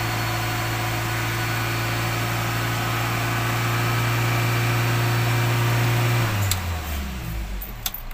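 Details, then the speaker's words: Toyota Avanza (same TPS as Myvi/Vios) with a hard-start complaint, first start right after replacing the throttle position sensor: steady, slightly fast idle hum, then the engine winds down and stops. Normal high idle that returns to normal after restarting about 5-10 seconds later. "lepas kita tukar TVS dan kita start engine kemungkinan Alfian kita akan tinggi semasa kita staten"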